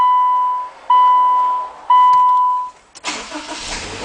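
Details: 2014 Subaru Outback during remote start installation, testing the starter wires: three long one-second beeps, then the starter engages with a rough cranking churn; starter circuit working properly.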